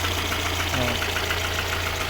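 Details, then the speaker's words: VAZ 2112 8-valve cold start after valve stem seal replacement: a hard, diesel-like rattle at idle, with the head quiet apart from a possible slight valve guide tick. Piston slap, expected to quiet at 90°C. "Я просто був в шоці як просто як з дизель от послухайте як вони тарабанять поршнів чуєте"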